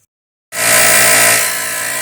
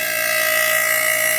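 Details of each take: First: Compressor being troubleshot: silence, then it kicks on with a harsh, very loud hiss and clatter that settles slightly; works but abnormally noisy, cause unknown. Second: PC fans after cleaning: smooth constant whirring hum at steady high pitch, no rattle or grinding; sounds much better than before, running healthy.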